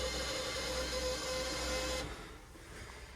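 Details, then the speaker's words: LSA-swapped Chevrolet Suburban, after new torque converter install, low battery, key-on: thin, steady high-pitched whine for about two seconds, then cuts out; fuel pressure regulator whine. "All right. Hear the fuel pressure regulator screaming."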